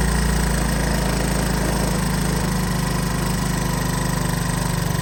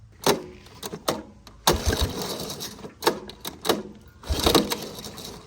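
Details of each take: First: Honda ATC 185 single-cylinder after carburetor adjustment for hard starting: steady, even low thump at idle with no misses or surging; idle sounds about right. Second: 1983 Honda ATC 185S, lately starting only with starting fluid, carburetor screw being adjusted out: repeated pull-start bursts, engine coughs a little but never catches; cranks without starting, carburetor adjustment suspected.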